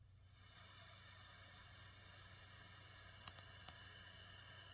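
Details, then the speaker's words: Bass amp at full volume powered through a Caline CP-207 isolated pedal power supply, with a bass compressor in the chain: a steady soft hiss with no mains hum, cleaner than the cheap daisy-chain supply. "I don't hear that humming anymore. Obviously we're going to get more white noise with the bass compressor, which is expected."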